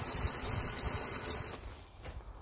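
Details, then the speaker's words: Serpentine belt tensioner pulley squeal, engine running: shrill high-pitched squeal pulsing then fading; removed tensioner has no play but squeaks when spun, confirmed source, replaced with identical new one. "all right belt tensioners off there's no real play in this one but when you spin it [Laughter] you can hear that is definitely the source of the squeak"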